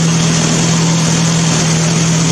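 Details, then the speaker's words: Old Mazda engine on a homemade ignition control computer (woodgas generator project), running off a weed-eater fuel tank. Steady, even idle with a constant low hum and no misses or knocks. It runs smoothly. "Certainly has a unique sound to it. It's a bit louder than I'd like at the moment, but I'm hoping I can i"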